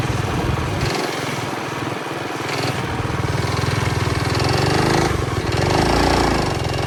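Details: Early-1970s Pacesetter Trailbuck mini bike on a test ride after fitting a new torque converter not set up for jack-shaft use; small engine drones and rises in pitch but never pulls up to speed. Torque converter slipping.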